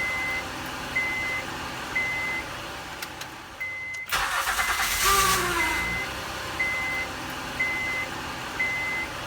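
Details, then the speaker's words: 2008 Honda Odyssey, cold weather: chime pings, then during a short crank a groaning moan rises in pitch as the starter engages until the engine catches; failing starter motor, confirmed when the replaced starter no longer made the sound. "it's a moaning sound that occurs just when you engage the starter"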